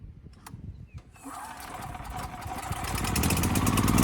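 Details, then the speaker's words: Westinghouse 7,000-watt electric-start generator that would not start, with a rusted gas tank, dead battery and gummed carburetor. After carb cleaning, fresh fuel and pilot jet/emulsion tube work, it catches after a few pulses and runs smooth and steady with no stumbling. "All right, that was really good. The engine smoothed right out, no issues."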